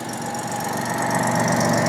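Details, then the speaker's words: 1987 Jaguar XJ6 six-cylinder started after drilling repair for a common XJ6/XJ12 engine problem: settles into a steady even run with no valvetrain chatter, healthy; an exhaust leak remains. "And here we go. Runs like a top. Runs like a sewing machine."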